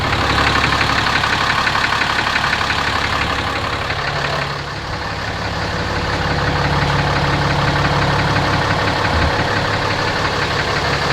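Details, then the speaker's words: 2017 RAM 2500 6.7 Cummins diesel, 12,100 miles, Rotella T 15W-40, idling, external mic moved around engine: deep even knock about three per second, always present; oil analysis shows high iron, cause undetermined. "Sounds pretty pronounced to me. I'm going to send the oil sample off to Blackstone. I'll put the results in the comment section if it's excessive iron or anything. It's got 12,100 miles on it. It's always had that knock."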